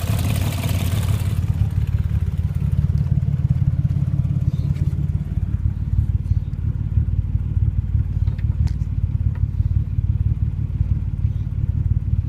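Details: Nissan RB25DET idling: steady low drone with a faint, irregular ticking clatter, attributed to stuck valves or an exhaust leak; not confirmed.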